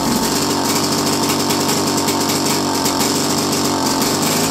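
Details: First start in a while of a 1929 Lockwood Racing Chief outboard, single carb, 1928 lower unit, muffler that looks welded and cut: fast, raspy two-stroke buzz at steady speed with sharp open-exhaust crackle; running normally.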